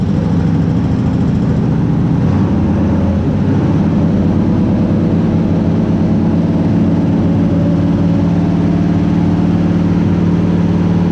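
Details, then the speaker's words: Shop truck with a carbureted 350 V8 swapped in for a hurt 383, on its first start after reconnecting the distributor power wire, recorded indoors in the shop; loud, steady low rumble with no knocks or misses and good oil pressure; normal running. "two things that was way too easy so i better get out of the shot before it catches on fire something second thing i forgot how loud this thing was in here"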